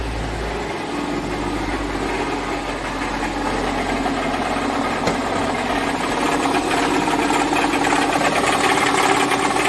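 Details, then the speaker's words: Mercedes-Benz E350 engine at idle: loud rattly clatter over the firing beat from the belt drive, owner complaint of foreign noises; mechanic suspects a failing alternator, not confirmed, checks by removing the drive belt. "сейчас запустим двигатель и послушаем вместе с вами Ой какой там грохот стоит"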